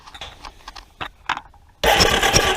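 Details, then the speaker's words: Rebuilt Yamaha Warrior ATV engine cranked with the spark plug out: a few light clicks, then under a second of fast, even starter whir with strong air blowing, lots of compression; normal cranking. "all right you guys hear that air blowing that thing is a ton of compression"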